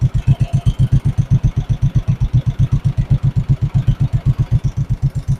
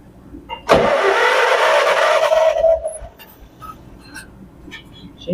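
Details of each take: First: 1958 John Deere 420W two-cylinder tractor, converted to 12 volt, just started after being abandoned over 35 years: slow, even putt-putt at idle with steady beats, no misses or knocks; idle being adjusted, runs cleanly. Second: 1958 John Deere 420W tractor, converted to 12 volt with a new battery, abandoned over 35 years: starter spins the engine steadily for about two seconds with an even whirring drone, then stops; cranks but no start, fuel not yet at the carb.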